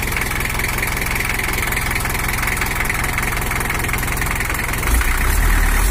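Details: Toyota HiAce LH11 1984 diesel (2L, 2,200 cc) after repair for overheating and coolant overflow, set back to standard settings: even, steady idle clatter that picks up cleanly on a brief rev with no misfire or knock; normal idle.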